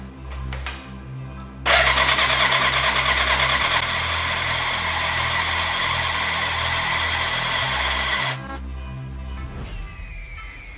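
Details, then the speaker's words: BMW K100 cafe racer, first start after build, retry with choke back: starter churns steadily about three beats a second for six seconds with no firing; smoke from exhaust, first injector leaking fuel, spark present; crank no start, flooding. "no luck so far put the choke back uh we had some smoke out of the exhaust um we have spark with you should have air"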